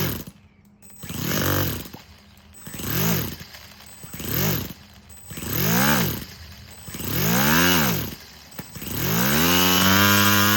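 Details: Four-stroke nitro RC crawler with a new Revo 3.3 transmission, first start on a glow starter with no driveshaft, so no load. It buzzes through repeated throttle blips, then holds a steady high rev, firing and revving freely.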